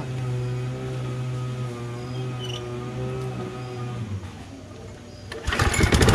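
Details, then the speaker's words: Curbside-found Toro Recycler Personal Pace lawn mower single-cylinder engine, after pouring in carburetor cleaner: speed rises and falls unevenly instead of holding steady; surging, carburetor probably too dirty for additive cleaning to fix. "as you can hear it still surges which means that the carburetor is probably more dirtier than anything could fix just from pouring something in there you know what i mean"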